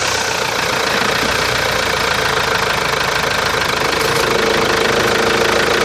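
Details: Chevrolet Captiva diesel idling with an uneven, rapid tapping of about three to four a second over the clatter; foreign engine knock, source unknown.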